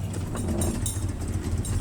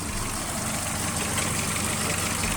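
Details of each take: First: VW Jetta with EPC light and codes P1579, P1545, P1558, recorded before the fix. At idle the rpm surges up and down and the engine misfires with a deep, uneven throb and heavy vibration. The scanner reported the throttle not aligned and basic settings not completed; rough, unstable idle. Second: VW Jetta with idle surging, EPC light and codes P1579, P1545, P1558, after the faulty throttle part was replaced: the fault code remains but idle is steady and even with no hunting or stumbling. Normal idle.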